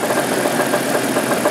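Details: 1988 Jeep 4.0 Renix at idle. A light, regular tapping rides over a steady idle. Owner rules out rod knock, suspects piston slap (slightly more at the rear of the engine), and plans to check for loose flex plate bolts; cause unconfirmed.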